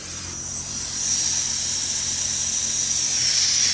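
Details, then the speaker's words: Rottler HP6A machine being refreshed: a loud, constant high-pitched hiss; compressed air escaping at the regulator, which may have cracked from being overtightened. "oh my God we do have a leak we have a leak back here on the regulator we open it up listen to it"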